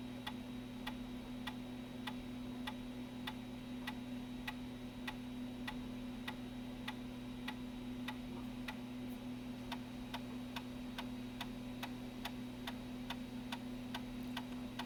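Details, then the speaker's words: Apple Macintosh PowerBook 165C floppy drive formatting a disk after its angled floppy cable was reseated flat: crisp even ticks about every half second over a steady hum as the head steps cleanly; format passed, drive working normally. "i do not know if this disc is any good yeah it is it passed the format"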